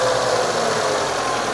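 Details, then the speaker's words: 2000 K11 Nissan Micra Sport petrol, after new throttle body and idle control valve, stored 10 years: smooth even fast idle just after starting, no hunting, misfire or knocking. "happy days that is she's on fast idle at the minute good new news"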